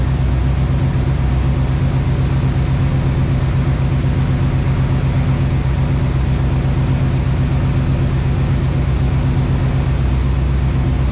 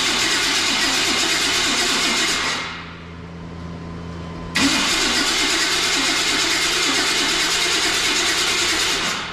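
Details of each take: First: 1990s-style OBS Chevrolet Silverado truck after sitting a long time, started again after new coil, ignition module, battery and topping off very low fluid: low, steady even rumble about four beats per second, no knocks or ticks; healthy, quiet idle. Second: OBS Chevy Silverado that had sat a long time and ran before storage, cranked with fuel smell present: long steady cranking that sounds poor, a pause, more cranking, never fires. Owner suspects the ignition module on the coil pad (no spark); spark not yet tested.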